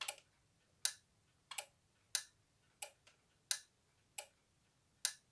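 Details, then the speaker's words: 1980s SAFT URA emergency lighting unit (BAES, 1x8W, 2x6V), cleaned and restored, tested on mains; an internal relay clicks when unplugged. Sharp little clicks about every 0.7 seconds in a quiet room. Normal relay switching. "un petit relais qu'il y a dedans."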